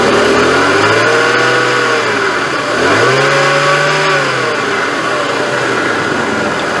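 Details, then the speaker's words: Jeep Cherokee with a noisy, non-leaking power steering pump and new reservoir, before adding Bar's Leaks: engine revved twice, a loud whine climbs and falls with each rev; louder with the cap off. "o i'm just going to rev it up and then that's when it really starts to make a lot of noise all right so just listen to this real quick pretty noisy isn't it"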